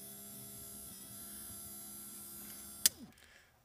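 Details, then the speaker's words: 1990 Pontiac Firebird rear hatch pull-down motor after reversing switch and motor replacement and housing repair: steady even motor hum, then one crisp click as the catch flips over; pull-down mechanism working properly. "That, my friends, is the whole mechanism in and of itself."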